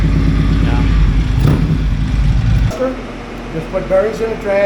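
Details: Harley-Davidson on a shop dyno in Kingman, Arizona, owner chasing a clunking noise: heavy low growl under load that eases as revs drop. Worn transmission countershaft and main shaft bearings, replaced.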